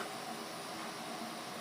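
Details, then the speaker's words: Twin Star 23EF020GRA electric fireplace heater fan, previously seized: steady even airy whir at constant speed after motor shaft and bearings cleaned; spinning freely, slight near metal-on-metal noise remains. "Il chauffe, mais le ventilateur ne tourne pas. Donc, on va aller voir ce qui se passe avec le ventilateur à l'intérieur."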